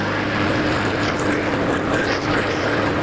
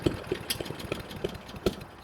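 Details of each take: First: Honda 21-inch walk-behind self-propelled mower, after a fix for running about 30 seconds then popping and dying (parts used include an NGK BPR5ES spark plug); the single-cylinder engine holds an even, steady drone without stumbling, then winds down at shutoff; normal running. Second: Honda 21-inch walk-behind self-propel mower that runs ~30 s then dies: runs nicely then irregular sharp pops and faltering; suspected cracked spark plug ceramic arcing when hot (coil also possible), plug to be replaced with NGK BPR5ES.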